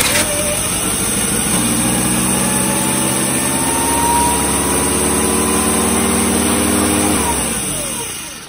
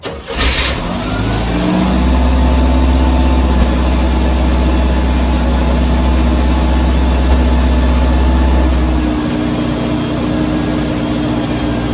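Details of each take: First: 1986 Chevy S10 Blazer 2.5L, just got running: engine catches, idle climbs and hangs high then winds down, runaway idle persisting while vacuum lines are traced; TPS, MAP sensor and IAC also suspected. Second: 1986 Chevy S10 Blazer 2.5L with runaway idle: cranks, catches and settles into steady even low idle, not perfect but much improved.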